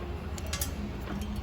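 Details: Honda Fit CVT with a customer complaint of clicking at the right wheel, suspension disassembled and the part moved by hand. A few faint, dry, irregular clicks; a worn joint is clicking, but which part is not identified.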